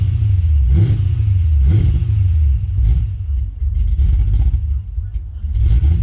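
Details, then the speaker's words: Gen 1 Cadillac CTS-V V8, cold after sitting about two years; deep rumble blips up and falls back unevenly, lumpy and hesitant between revs, rough cold running, cause not confirmed. "and this thing is not happy when it's cold then not running for basically two years other than getting it off the trailer"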